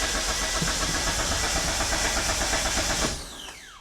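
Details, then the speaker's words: Flooded 1998 Mitsubishi Eclipse GS Spyder after reassembly: strong, even cranking about three seconds that never catches; check engine light dim and flickering, no fuel pump heard, suspected flood-damaged engine computer. "the check engine light is dim and flickering and I don't hear fuel pump I don't hear a fuel"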